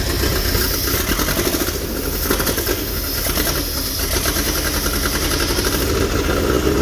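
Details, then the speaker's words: Toyota Corolla KE25 engine run on brake cleaner sprayed into the carburetor: lumpy, uneven firing, stumbling idle, revs poorly; fresh fuel and spark present, owner suspects ignition timing is out. "there you go it does run that is quite surprising so it doesn't rev very nicely"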